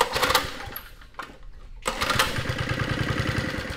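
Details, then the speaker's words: 1972 Sears Roper mini bike with a Tecumseh HS50 5 hp flathead, started with starting fluid and the choke on old gas: it fires and settles into an even single-cylinder putter with no misses or smoke; normal running. "It sounds good. Not bad! Holy cow."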